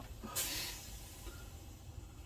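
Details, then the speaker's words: 1977 Hitachi CWP-132 portable colour CRT TV at its first power-up in a decade, possibly a hot chassis: one sharp bang, then a fading fizzing hiss with smoke and a cap smell. An electrolytic capacitor has blown and vented. "fantastic oh look smokeage wow oh that sounds like a cap smells like a cap wow a bit of excitement"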